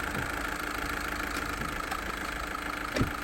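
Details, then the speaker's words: VW Vento 1.6 L TDI diesel after all four injectors replaced for low-pickup complaint: quiet, even engine hum while creeping forward, earlier tak-tak-tak tapping on moving off now gone; smooth normal running. "Okay தம்பி move பண்ணுங்க இப்ப பாருங்க ஸ்மூத்தா இருக்கு முன்னாடி டக டக டக டகன்னு இருக்கும்"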